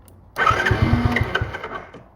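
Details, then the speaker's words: Mini quad ATV with a smoking, likely worn engine, after fuel system fixes and a new battery: catches, runs a ragged uneven beat about a second, then dies. It won't hold an idle; cause unknown. "well we're just having some running issues right now uh it's not wanting to idle so that's something else we're going to need to fix"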